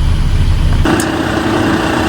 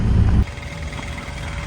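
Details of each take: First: Mercedes truck after the AdBlue repair: diesel idling steadily with a faint sharp tick about every two seconds over a hum as the pump doses AdBlue, about 10 bar pressure; normal operation. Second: Mercedes truck on a cold 3° Saturday morning, engine off, microphone underneath: faint steady electric hum as the AdBlue pump runs constantly when it should only run with the engine running, so the pump is faulty.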